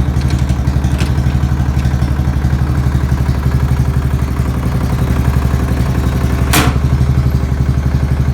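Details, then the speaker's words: Murray's small flathead engine at its first start in a long time, possibly run on used oil: heavy low thumping knock about three per second over rough running, later smoky; owner suspects it needs a rebuild; engine knock. "Wow. Knocking pretty bad though. Sounds bad to me. Maybe it's just a flathead thing."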